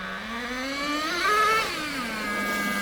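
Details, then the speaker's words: Nitro RC car engine being tuned on the high-speed needle: the revs climb sharply into a rising howl, then sag and stumble back to a rough idle; lean mixture bog. "it revved and it went Bo oh that's because there's not enough Nitro right not enough we've gone two fights to weak too lean whatever you want to say"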